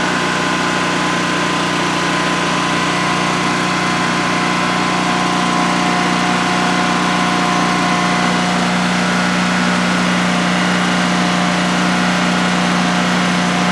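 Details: DuroMax XP15000HX generator newly installed in a shed, on its second start, running on propane with the exhaust fan off: a steady, even drone and constant hum with no knocks or surging during a 5-minute test. Normal idle, no issues.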